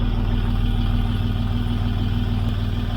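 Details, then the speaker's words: 2006 Land Rover Discovery 3 TDV6 2.7L diesel after a full rebuild with a new crankshaft trigger wheel: smooth, even idle with a steady low beat and no stumbles or knocks. The scan tool shows no engine fault, so the trigger wheel works. "no engine fault on the Gap tool so the new trigger wheel is working"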